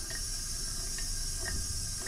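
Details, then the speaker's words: Briggs & Stratton 14.5 hp single-cylinder OHV on a Poulan riding mower, engine off, leak-down test at top dead center on compression stroke: steady high hiss of escaping air, also felt at crankcase vent, suspected blown head gasket. "yeah they got a smoking coming out right there so I believe we got a blown head gasket"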